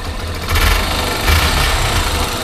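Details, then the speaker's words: Yamaha Factor 125 single-cylinder motorcycle idling after the valve rockers were adjusted: a steady low thump with no valve tapping, now a normal, quiet idle. "Mostrar agora o barulho da moto aí, finalizado aí, com os balancinhos regulados. Aí, ó. Sem bater nada. Motorzinho sereninho,"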